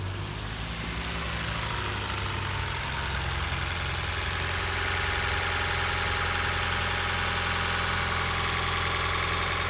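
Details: 2019 Ford Fiesta after crank-no-start repair (timing disturbed by crank pulley replacement and re-set; flooded by excess injector cleaner): steady, even idle with quick regular patter, no misses or knocks.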